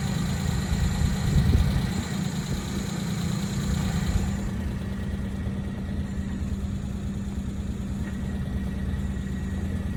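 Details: Suzuki Jimny JA11 at idle, noise persisting after release bearing replaced with new one twice: steady low idle with a thin high whine that drops out and returns; clutch area noise, cause unknown.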